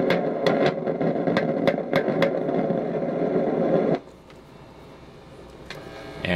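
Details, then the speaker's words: Kriesler Australasia Model 11-81 valve radio heard at anode of the 6BD7 with signal tracer: loud hiss with sharp irregular crackles, sometimes much louder, then quietens; something breaking down inside the tube, surrounding resistors checked. "sometimes it takes off it gets a whole lot worse than that it just gets incredibly loud but that's definitely coming out of that tube"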